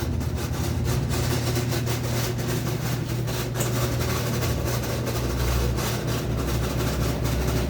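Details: BWC11A washing machine during spin cycle: low steady drone with irregular rattling knocks over it; owner asks which part is failing, cause unknown: abnormal noise during spin cycle.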